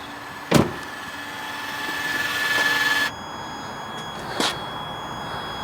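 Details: Land Rover Freelander 2, new projector headlights with LED bulbs, ignition on, beam-adjustment motors that had been blowing the fuse: a thin whine climbs for about two seconds, then cuts off after a clunk; normal levelling-motor operation.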